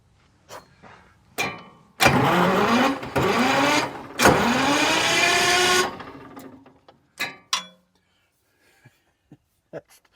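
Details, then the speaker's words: Twin Detroit 6-71 diesel power unit: two strong bursts of cranking spin it over at an even, lively pace but it never fires; fuel cutoff suspected shut; cranking no-start. "sounds like it's almost u sound like the fuel CYO is shut on it"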